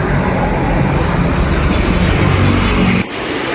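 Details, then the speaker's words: Yamaha NMAX version 2 scooter after replacing the old injector, fixing rough running, misfiring and stalling at full throttle: even, steady engine note with no stumbling or dips before cutoff; now running smooth. "Ito, smooth na po yung anda ng kanyang NMAX na dumayo po sa atin dito galing Morong Rizal"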